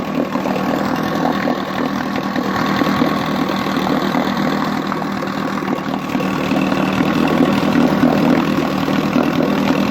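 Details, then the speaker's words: 1959 Johnson QD-20 10 hp two-stroke outboard, first run after cleaning, polishing and gapping points, cleaning plugs and setting coil air gap, carburetor untouched, good compression: fast buzzy idle runs evenly without misses or surging. "Sounds really good I didn't even do nothing to the carburetor, nothing."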